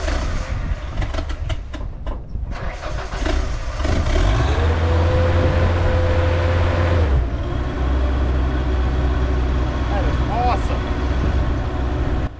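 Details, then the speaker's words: Ford LRG-425 engine on a JLG 80HX boom lift, warm and fitted with a new manual choke: a brief crank, then it restarts quickly with the choke wide open and settles into a steady, even low rumble; normal warm restart, running much better. "that tells me if this thing is warmed up at all it's going to easily restart with a wide open choke"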